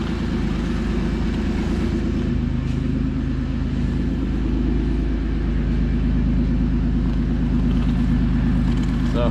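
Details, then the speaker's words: 3rd-gen Toyota 4Runner just re-geared to 4.88 gears, rear wheels spinning on first test: steady even drone with no whine, clunk or grind; rear end and driveline working normally. "look at that, rear end works great. Sounds good, everything looks nice and straight. Drive line looks good. 4Runner sounds good too."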